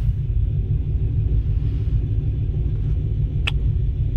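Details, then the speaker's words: Cammed LT 5.3 V8 truck after tuning: deep, steady low rumble with a mild cam lope and only slight rpm drift; holding a normal, even idle. "got her a nice idle now and you'll never hold a steady idle even even in a stock truck is going to fluctuate a little bit like this but uh yeah she seems happy"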